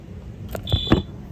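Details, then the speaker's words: Wheelock Fenwal MT-24-LSM horn strobe chirping when the coder is plugged in, set to 4002-style code 3; the resistor issue leaves voltage on the circuit. Clicks, then a short high chirp; the horn sounds from residual voltage. "You can hear that the MT is chirping because these things will go off for practically any voltage."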